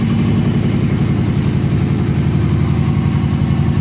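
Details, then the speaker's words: Kawasaki Ninja ZX-636 after rebuild and fuel injection reinstall, restarted: quick steady idle beat, even exhaust note, no misses or knocks; fires right up and idles normally, idle slightly low. "let's give it another quick fire up the idle is a little cold it seems let's see here look at that fires right up fires right up"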